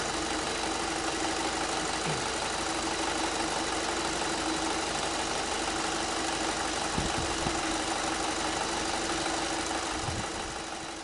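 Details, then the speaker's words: 2006 VW Passat B6 2.0 FSI 150 hp, 250,000 km, unknown service history with broken-down oil and clogged filter, before oil change: light uneven rattling tick about three times a second at idle; suspected poor valve lubrication. "As we can hear there is some rattling noise and it can be due to that the valves are not getting enough lubrication or whatever it can be."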